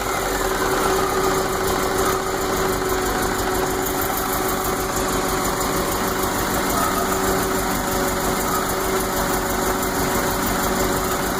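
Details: 1980 MGB: petrol engine idles unevenly, its steady beat broken now and then by a skipped stroke; still misses after vacuum lines were corrected, and stutters or dies dropping from high RPM.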